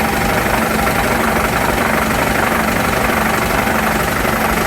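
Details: Shop air compressor building from about 130 psi toward its roughly 135 psi cut-out: steady, even pumping drone with no knocks or rattles. The compressor sounds healthy.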